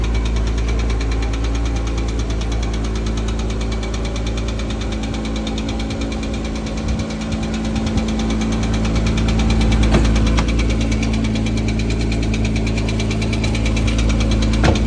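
Steady idle with a light, regular tick of about three a second riding over a low engine hum. Cause suspected, not confirmed.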